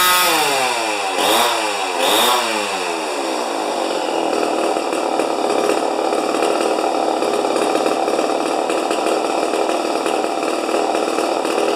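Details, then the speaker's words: Rebuilt 50-year-old 100cc Homelite XP 1020 chainsaw at full throttle: two blips, then a very high steady wide-open scream; max about 10,500 rpm versus 9,000 rpm book limit, no throttle limiter, only the high setting; over-revving. "oh all right it says it says on the books under uh chain interest chainsaw interest or something like that 9,000 RPMs are the highest as it should go so is there a I wonder if there's a throttle limit on here nope just the high setting"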